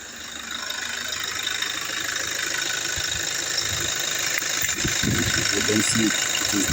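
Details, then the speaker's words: 2017 Toyota Hilux diesel in reverse/drive with the alternator connector removed: steady hiss-laden hum, the earlier crackling/clicking gone, confirming faulty alternator pulley after tensioner and idler replacement failed. Normal running. "Put it in in reverse or drive. Realize the noise is gone."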